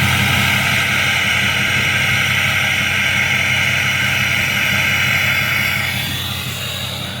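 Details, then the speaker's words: 6.0 diesel truck idle after oil change and fuel filter replacement: steady even hum with a light whine, much less clatter than before; smooth healthy idle. "And it's not as clackety up here. It just sounds like an idling 6o."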